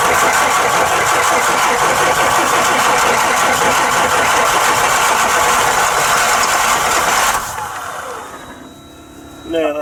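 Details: Bus diesel engine during a rebuild, cranking with injector lines cracked open to bleed fuel through. Steady rhythmic churning, about three turns a second, for seven seconds without catching. The starter is labouring ("not happy") and the engine won't start.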